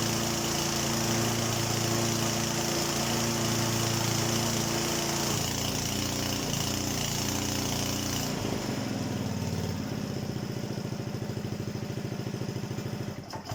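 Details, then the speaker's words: Honda HRD536 single-cylinder petrol lawnmower after replacing the drive clutch plate; bogs briefly as the blade engages, then settles into a steady even run, healthy. Owner notes engaging clutch plates tends to make it try to stall. "Do you know what really helps when you try and start a petrol engine? You put the spark plug back on. And now it will work."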